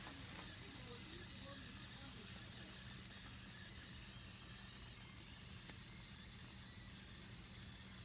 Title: exhaust leak